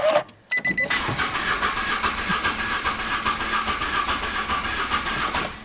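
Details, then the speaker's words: Nissan MR12 three-cylinder (firing order 1-2-3) cranked with the throttle held open during a scope compression test: steady starter whirr with one lighter compression stroke. Low compression in cylinder 2 is causing the misfire, possibly through the valves or the rings. "basically gonna tell the client hey you got a low compression in number two that's why you're getting the misfire"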